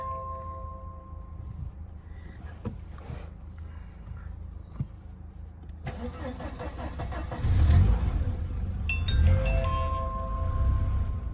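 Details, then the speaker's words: 1988 Mercedes 190E (W201), started after standing parked for a long time, fuel pump heard priming first: engine cranks, catches quickly and settles into an even, smooth idle; normal cold start and idle. "think it actually sounds quite smooth and it started quite quickly"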